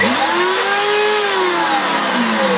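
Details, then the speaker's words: Vintage Hoover Turbomaster U5078 vacuum, unused for decades, run with no fan fitted: bare motor whines roughly, pitch drifting; burning-plastic smell, suspected plastic bearings spinning in their housings, unconfirmed. "you smell burning plastic which is probably the bearings somewhere spinning around themselves"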